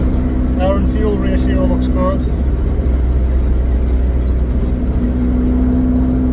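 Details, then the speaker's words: Vauxhall Nova GTE with a newly fitted C20LET 2.0 16V turbo engine on its first test drive, warming up; steady low engine drone under road noise, no scraping or misfire, smooth, even pull; running fine. "good nothing seems on [Music] clear seems we running fine got a little bit of temperature into it now then warm up a little bit"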